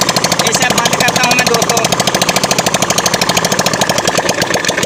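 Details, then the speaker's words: Suzuki Sprinter 110cc motorcycle engine just reassembled: crisp, regular single-cylinder pulses with no knocking or clatter, oil pump checked and oil reaching the top end; runs cleanly, normal running after rebuild. "यह दोस्तों मैंने band कर दी है की हमारा properly मिल अच्छे से उठा रही है"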